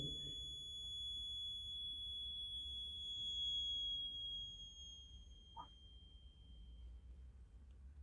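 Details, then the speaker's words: Bridge circuit measuring an unknown series capacitor and resistor: thin high buzz from the detector buzzer holds steady, then fades to silence within seconds as the resistance is varied to balance; null at bridge balance. "जैसे उसको very कराएंगे उसका buzzer का जो sound निकल रहा है वो धीरे धीरे कम होते होते एकदम बंद हो जाएगा।"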